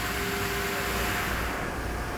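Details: Tornos CNC lathe making titanium knife screws on a 75-second cycle, filmed inside the machine. A steady, even machining hum with faint constant tones and no knocks or chatter; cutting normally.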